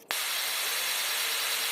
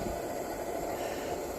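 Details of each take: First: 1948 Major 236 lantern, bought disassembled: loud steady hiss that stops then returns as pressure bleeds back out the pump check valve when the thumb leaves the pump; check valve stuck open, mantle already blown. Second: 1948 Major 236 lantern: even steady hiss-roar with no sputter or pulsing, pressurized burner running cleanly.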